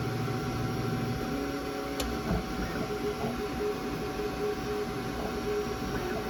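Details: Creality K1 3D printer under 3 months old with under 15 hours of printing: quiet light ticks recur about every half second over a soft running hum; constant clicking noise, source not pinned down.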